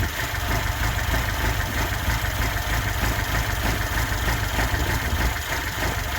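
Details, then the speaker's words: 1979 Lada Niva with reportedly tuned engine, twin downdraft Weber carb and K&N filter, after new distributor and spark plugs fixed a no-run: smooth, even low idle with no knocks or misses, runs like a sewing machine. "We put it down to the distributor, fitted a new distributor, new spark plugs, and now it strikes up like a sewing machine. In fact, we'll start it up."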